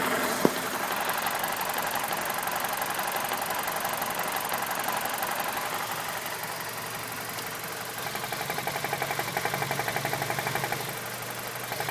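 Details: BMW E46 with N42 engine, heard up close with the MAF unplugged: uneven, lumpy idle with irregular knocks and ticks wandering through it; still a very rough idle, cause unclear.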